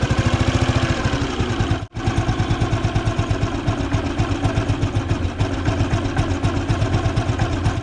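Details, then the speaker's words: Restored Bullet Machismo 350 AVL, engine rebuilt after seizing from water, started on the first try. A steady, even single-cylinder idle with its characteristic Machismo sound, and the earlier knocking is completely gone: running clean. "So engine की sound तो भाई अच्छी निकली है और matches मो है तो मैचस मो की तो जो एक होती है ना इसकी जेनेटिक साउंड तो वो तो इसके अंदर है ही है लेकिन वैसे इसकी खटपट खटपट सारी बंद हो चुकी है"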